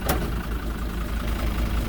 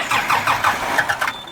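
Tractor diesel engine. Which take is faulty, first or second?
second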